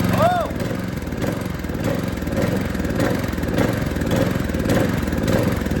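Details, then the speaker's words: Cheap used go-kart engine bought from Marketplace, fresh fuel, near full throttle: small single-cylinder holds a strong steady buzz with even beat and no knocks or misses; running healthy. "Oh, I think we were full throttle right there. That sound good."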